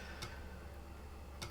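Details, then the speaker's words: Compaq Armada 4120T floppy drive after belt replacement (old belt gone, drive made a bad noise), reading a Doom floppy disk: soft whir with two crisp head ticks about a second apart, reading cleanly and healthy. "refresh that sounding good and yet we're reading the contents of the disc"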